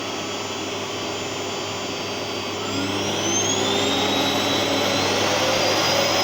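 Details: Gerer8 Power MAX 2000W vacuum cleaner on its highest setting: loud steady motor roar with whine climbing to top speed, smooth and even; normal running, pretty loud on high.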